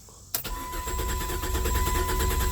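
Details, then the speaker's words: 1998 Chrysler Cirrus LXi 2.5 V6, distributor and crank sensor already replaced: starter spins engine in a fast, even chug but it never catches; crank no start, cause unconfirmed, previous mechanic suspected a wire. "Yeah. No start. So, no matter what I've done, I have the no start issue on a 1998 Chrysler Cirrus LXi 2.5 V6."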